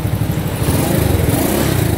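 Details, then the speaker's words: Small single-cylinder Honda SS50 converted to CL styling, Alpha cylinder and head, large fuel tank, idling: quick even ticking over the exhaust beat; loose rocker clearance, adjusting both rocker tappets under the two covers would quiet the valve tappet noise. "Xe này các bạn muốn im á, gỡ hai nắp chỉnh cò, mình tiết hai cái đầu cò, hai cái đầu xúc bắp lại tí là bao im luôn ha."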